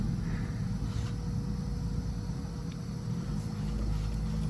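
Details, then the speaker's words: Nissan SR20 after fitting a new 300ZX fuel filter, key on without starting: faint steady electric hum of the fuel pump priming and filling the filter over low background – normal fuel pump priming. "Turn the key on just to prime it. So you're gonna hear it filling up the filter."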